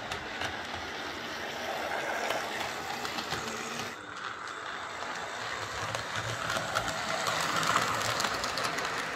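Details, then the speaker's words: Old Tri-ang R52 Jinty 0-6-0 tank model locomotive on layout after repair (motor insulating sleeve replaced, cleaned and oiled; previously dead): light even whirr, rail clatter about three clicks a second; running smoothly. "so there we are that's darren's old triangenti uh running exceptionally well for his age i have to say"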